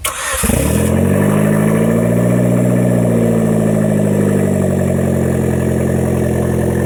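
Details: 2010 Hyundai Genesis Coupe 2.0T after head gasket replacement and new OEM turbo, first start after priming oil, downpipe missing so exhausting at O2 sensor: quick catch, brief flare, smooth even idle, no misfires, sprayed oil burning off; normal start and idle.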